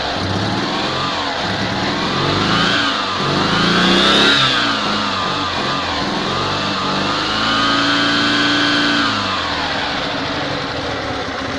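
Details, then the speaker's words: Invacar three-wheeler twin on axle stands after an exhaust replacement, joints not yet clamped; it revs up and settles smoothly with an even exhaust note, no blowing or rattles, as oil burns off the exhaust; normal running, a vast improvement. "I'm gonna go get a quick try anyway to see if it matters have improved sounds good to me"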